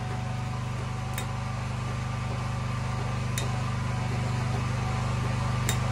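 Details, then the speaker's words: Champion 4250 W (3500 W running) open-frame inverter generator, new, on remote/auto-choke start, running steady and even under a 250 W light load with no surging or knocking; the first load was slow to start, then the engine woke up. "not a whole lot of change there the first thing i plugged into it was kind of slow to start but after that it like it woke up or something"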